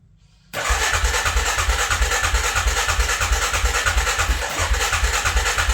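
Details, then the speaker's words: Suzuki Vinson 500 quad, first startup after a head gasket replacement: it catches and settles into an even thump, about three beats a second, with no valve tick. It sounds quiet and much better than before, though it was later found still burning coolant. "fuel it sounds so quiet so much better than what it did"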